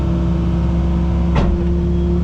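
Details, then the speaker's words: Diesel tracked machine being test-run at an auction while tracking: steady, even drone with a low hum and no knocks or misses. Everything sounds good with no engine codes; normal running. "looks like we're tracking around pretty good yeah everything sounds good there all right no engine codes or anything"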